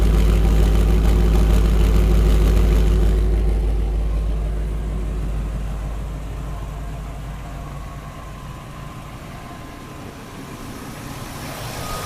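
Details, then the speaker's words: 2000 Ford F-250 SD 5.4 L (330 CI) at idle, heard at the exhaust after earlier intermittent rough idle and a miss blamed on the fuel injection: even, steady pulses with no skips; the engine barely shakes. Normal idle. "So you can hear the exhaust is running smoothly. You can't hear misses coming out of it."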